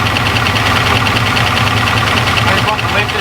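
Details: Jaguar XJ6 Series 1 with Holden 308 V8 and turbo 350, first start in 10 years on sprayed fuel: fast light ticking over steady V8 idle, lifters clattering, expected to quiet once oil pressure pumps them up.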